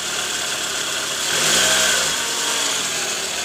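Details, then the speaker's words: Toyota Alphard 2AZ-FE after replacing a worn balancer shaft (gear no.1 loose) that caused a rough noise from the oil pan area, worst on cold morning starts: now a steady, even, smooth idle heard from underneath, soft hiss, no knock or roughness. "Oke sudah sangat jelas berbeda bunyinya sekarang sudah halus Jadi udah nggak ada bunyi kasar lagi diare mesin"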